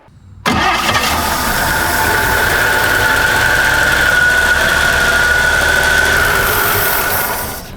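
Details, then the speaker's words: 1954 Chevy Bel Air after carb work and a new fuel system, first runs; engine fires and runs steadily for several seconds, then fades and dies; stalls, owner suspects it ran out of fuel, possible vacuum issue in the fuel supply. "did it just run out i think it just ran out of fuel okay let's try that then let's try that because now we got i know you know it's i know we have some vacuum going on with the fuel"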